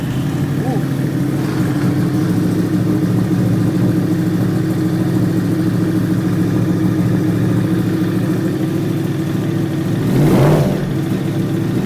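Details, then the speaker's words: Yamaha R1 after a new starter motor was fitted; it previously would not crank, or would not start once hot. Now it cranks and catches cleanly into a steady, even beat. Normal start; a fuel pump relay issue remains. "uh swapped it in the bike cranks beautifully now"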